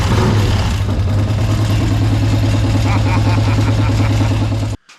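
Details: Harley-Davidson 1200 V-twin in a golf cart: deep idle thumping about four beats a second, a little uneven, then cutting out; owner suspects a stuck carburettor float, not confirmed; uneven idle.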